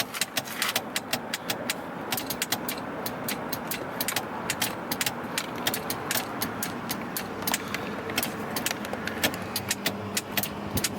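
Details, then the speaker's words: 1977 Cadillac Seville, 5.7L 350 V8, about 39K miles: power seat motor runs with a steady series of sharp ticks, about three or four a second, but the up/down isn't engaging; cause unknown. "it seems to want to work it really does okay but however even though you can hear this"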